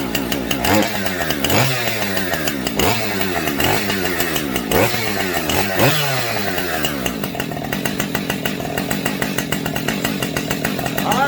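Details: Husqvarna 550XP Mark 2 chainsaw after a gas tank swap, possibly seeping slightly at the fuel line: several hard revs that drop back, then a steady fast idle. It starts easily and runs smoothly.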